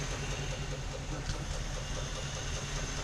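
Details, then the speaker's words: 1955/56 Oldsmobile Rocket 88 with 324 V8, barn find sat 22 years, just revived: deep steady even idle, no knocks or ticks, little smoke or blow-by, gauges working; sounds healthy despite a suspected vacuum leak. "Let it circulate a little bit. I'd let it circulate. It sounds good."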